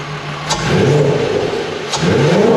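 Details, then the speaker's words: Mk1 Golf VR6, recently revived with correct starter motor, now up to operating temperature; two crisp blips rising cleanly and falling back to an even idle, smooth and strong; normal warm engine revving. "well we're all up to temperature let's see what it sounds like"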